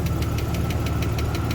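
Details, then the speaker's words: 1993 Ford Falcon Fairmont Ghia running for the first time in many years: light, even ticking about six times a second over a smooth low idle; a top-end tap, cause not pinned down. "yeah she's tapping a little bit but she's going"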